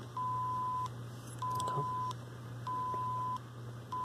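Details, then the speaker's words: LCR meter measuring the oscillator transformer's inductance, reading about 57-58 microhenries: steady high beeps about 0.75 s long repeating roughly every 1.25 s, the meter's normal test tone. "of course you can hear the thing beeping because it's running a killheart signal into it to measure it"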